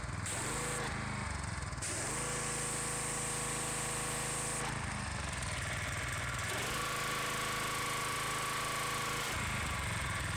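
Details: Gas power washer engine, previously rough, cutting out and low on power (a new spark plug didn't help), after the fuel line and filter were serviced: steady drone dipping and recovering as the spray trigger cycles; now runs stronger and smoother under load.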